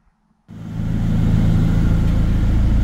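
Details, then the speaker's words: 2007 Chevrolet Colorado 2.9L with intermittent Passlock no-start; after key-on relearn, starts on third try: silence, then engine catches and settles into a steady, even low idle rumble; starts and runs fine. "after the third try to start it's working"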